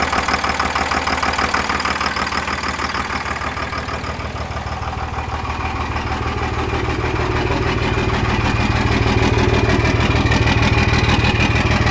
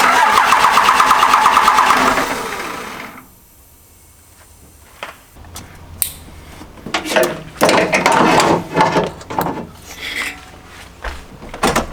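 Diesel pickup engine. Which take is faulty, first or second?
second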